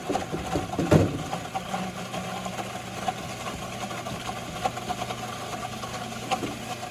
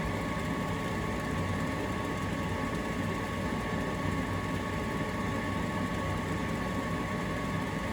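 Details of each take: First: Heil ICP furnace inducer blower with no drain, full of water: the blower hum carries an uneven, bubbling gurgle and irregular knocks from water trapped in the housing. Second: Heil ICP gas furnace, after trapped water in the draft inducer housing: soft, even inducer whir with no gurgling or sloshing; runs quietly and normally.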